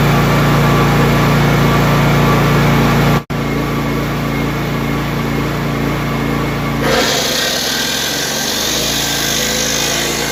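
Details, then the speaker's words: Honda EB3500X generator after full service, carb cleaning and valve adjustment, loaded with a cutoff saw: starts and settles to a steady even drone, dipping briefly as load comes on then holding smoothly; normal running under load. "So hopefully it'll draw enough juice to put this thing under load. But let's give it a shot."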